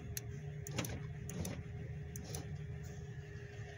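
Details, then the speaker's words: Ford Flareside truck parked about four years, power window test: a quiet, steady motor hum with light clicks as the glass travels, no binding or grinding; the window works normally, but the switch button needs replacing. "baja y así sube está bien este botón hay que cambiarlos"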